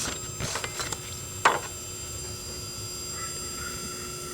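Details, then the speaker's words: B&K 1077 vintage TV analyst, apparently water-damaged, with 33GY7 horizontal output tubes and no high voltage: switch clicks, then a thin, steady high-pitched squeal that never develops into a proper run; horizontal output squeal from shorted capacitor. "of that later in the video but let's jump right into it like I said no high voltage I think it just squeals"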